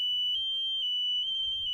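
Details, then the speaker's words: Discarded Chuck E. Cheese machine in dumpster outdoors: loud, piercing high-pitched alarm tone sounding continuously for about two seconds. "Okay. So this is, I'm sorry that is so loud, it's this right here."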